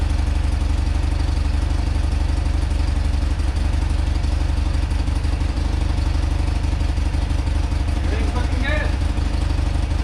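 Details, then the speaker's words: Rare motorcycle (1 of 286) on its first run after purchase, on full choke after fuel flow to the carb was restored and the float bowl refitted. Deep, even boxer-twin idle with steady firing pulses, no knocks or misses; runs clean and healthy. "let's throw this bowl back on try again a full choke that sounds much better oh yeah"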